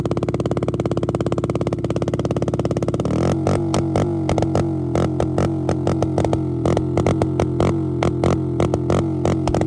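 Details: Motorcycle after a ZSF-to-YBR EFI conversion that has passed its MOT, pulling away and riding off; the single-cylinder thump settles into a steady, even beat with no misfire. Normal running.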